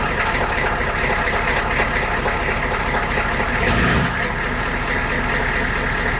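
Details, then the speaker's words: 1993 IDI diesel truck with stock, unadjusted injection pump: steady, even idle clatter with no misses or knocks; normal idle before the fuel pump mod. "Alright, so that was stock right there. Nothing has been done to the pump."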